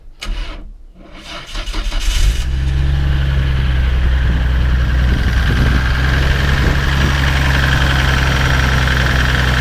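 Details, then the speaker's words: 1996 Nissan Skyline R33 GTR Nismo 400R at a Japanese car auction, engine bay not original: it cranks, catches and settles into a loud, slightly uneven idle with a choppy beat, tractor-like. Rough idle, cause unknown. "Whether you can hear that or not, just sounds like a Massey Ferguson tractor to me. Anyway, sounds terrible."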